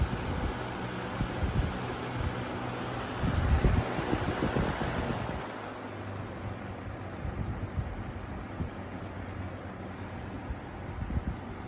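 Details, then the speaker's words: Lasko Weather-shield box fan after one year of ownership, on low speed: soft steady whoosh, quieter and slower than before, with no rattle or wobble thump; decent though imperfect blade balance, running normally. "I don't know if you can tell, but the low speed is much quieter than it was before, or at least it was slower than it was before. And it's not shaking too bad."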